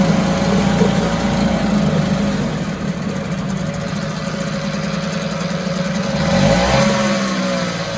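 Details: 1974 US-made Mercury 4 hp single-cylinder two-stroke outboard, revived after long storage, running in a test tank after reassembly: even, buzzy drone at steady speed with a small swell near the end, runs like a top; normal running.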